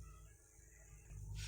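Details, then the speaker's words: Audio crossover kit powered from an adaptor instead of a transformer: low steady hum that swells as volume is turned up, worse at full; ripple from a low-quality adaptor supply, not the kit. "Kalau pakai adapter ya itu noise teman, kekurangnya itu noise ya, jadi jangan dianggap dari kitnya ya. Nah ini noise nya kecil, saya buka ya."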